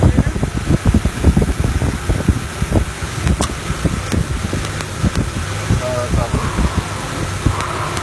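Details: Toyota Tacoma 2RZ-FE with original factory Sumitomo plug wires: uneven, stumbling idle with irregular low thumps, a misfire because the wire insulation has broken down and lets spark cross over into another cylinder.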